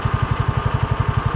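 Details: Hard-starting John Deere Gator (Kawasaki engine) idling after finally starting, choke and throttle being feathered: lumpy uneven idle sagging as if about to die, plug wet; shop had blamed the carb, actual fault a failing ignition coil, replaced.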